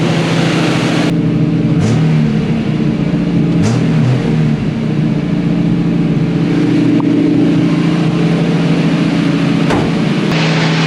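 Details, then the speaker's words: 1965 Mustang straight-six after carburettor work: uneven loping idle with occasional stumbles; still misfiring though less than before; ignition timing not yet checked and suspected, unconfirmed. "Went all right, but still missing. I don't think it's that bad as it was. I'm not gonna lie, I still need to check the timing, and I know that that could be it."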